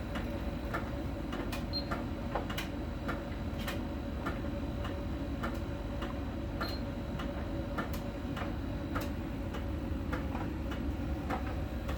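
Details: Miele dryer during drying: light, sharp ticks about once a second over a steady, low drum rumble. A small ball sensor rolling over the drum ticks at a contact spot on the drum's outer surface; this is normal sensor ticking.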